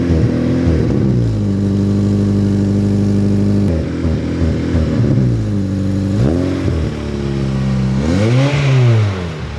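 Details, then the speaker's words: Modified Acura RSX K-series before tuning, with larger throttle body, ported intake manifold and lightweight crank pulley: quick throttle blips, revs drop back slowly and linger before idle; rev hang suspected from the modifications, unconfirmed. "okay so how it idles now and this is probably due to the larger throttle body and intake manifold porting uh it just kind of like hangy he has a lightweight crank pulley I think he said which also makes it like a little bit rev happy"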